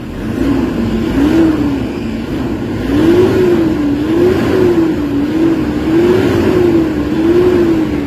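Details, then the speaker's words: Toyota Hilux D40 diesel with low power, throttle delay and a turbo actuator issue, after XADO engine treatment: quick, clean pedal blips about every 1.5 s. The engine now comes on near 1,400 rpm instead of 3,500. Normal rev response. "Kanina 3,500 magagalit na yung makina, pero ngayon ayun yung galit niya, marinig mo talaga, ibang iba na kaysa kanina."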